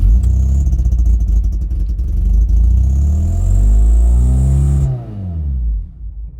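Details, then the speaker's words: Abandoned Mk2 Ford Mondeo Estate, a big squirt put into the intake. The engine catches and revs unevenly for about five seconds, then dies. Electronics work and the engine seems sound; the owner suspects stale petrol and plans to clean the fuel filter and add fresh fuel. "so basically that means the you know the electronics are working and the engines basically sound and the reason it won't keep firing is because the petrol is very likely useless inside the car"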